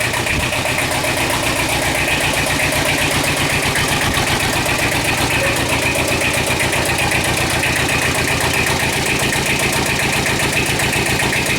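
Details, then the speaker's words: Two-cylinder Kubota tractor diesel, first start after a low-oil-pressure repair, oil galleries refilling and old oil still in; an even idle clatter at about four pulses a second with no knocks, warming up. "sounds good it's a two-cylinder so it's got a weird kind of thought to it all right we'll let that warm up a little bit"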